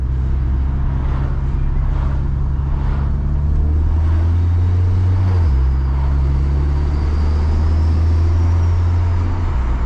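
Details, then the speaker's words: Built 750 BHP Cupra engine with GTX35 turbo on first drive during break-in: deep engine drone under load with faint smooth turbo whistle climbing as revs rise; turbo spooling healthily. "ah this is lovely lovely noises coming from that gtx35"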